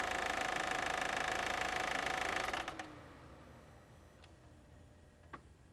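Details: 2001.5 VW Passat 1.8T automatic, 98,500 miles: quick, even light ticking about three a second over a quiet engine, then drops away; failing cam chain tensioner, later fixed by replacing chain and tensioner.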